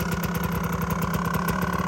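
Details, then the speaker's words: Yamaha Tri-Z two-stroke three-wheeler barn find, after replacing the CDI and coil, with the old stock muffler: crisp, evenly spaced popping at a steady idle, fairly quiet exhaust, no misses or knocks; normal idle. "Pretty quiet. Old stock muffler."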